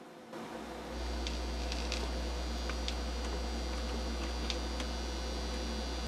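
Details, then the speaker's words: Technics SL-Q300 quartz direct-drive turntable with its ground cable missing. A steady low mains hum drones continuously under faint clicks; it needs a ground wire to the stereo chassis. "I think the answer to this is it needs a ground wire"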